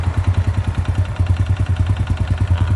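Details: Honda Dream single-cylinder motorcycle idling with a heavy, clattery knock at about ten beats a second; teardown found a scuffed, seized piston, likely from oil running dry.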